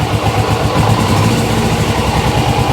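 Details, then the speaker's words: GS twin salvaged from a garden, run with clutch held in: lumpy stumbling idle, won't rev, weak on the left cylinder; owner suspects fuel and may remove the carbs if running doesn't clear it. "Yeah, it's just a bit weak on the left cylinder. It's more than likely fuel. Yeah, it's just not revving because obviously it's down on one cylinder a bit."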